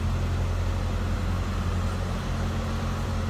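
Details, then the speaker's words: 1978 Chevrolet Chevette hatchback, heard from the back of the car: smooth, steady low rumble with an even pulse, no knocks or rattles; sounds as expected, normal idle. "Slip around to the back so you can hear it run. I guess sounds as you'd expect."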